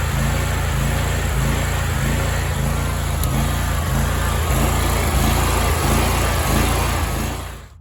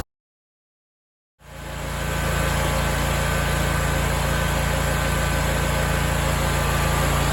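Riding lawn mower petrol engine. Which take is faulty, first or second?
first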